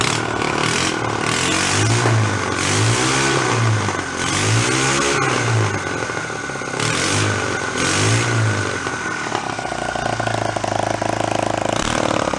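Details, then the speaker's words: Small 49cc four-stroke bike engine kit on a homemade antique-style pedal bike, with factory muffler, first fire-up: buzzes cleanly through quick throttle blips, then settles to steady idle; runs healthy. "fired up the little factory muffler on its way down"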